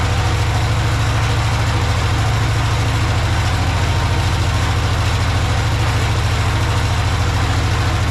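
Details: Project tractor's small engine, with a slightly leaking fuel pump diaphragm. A deep, even putter is held constant throughout, with no stumbling or surging. Normal, clean idle.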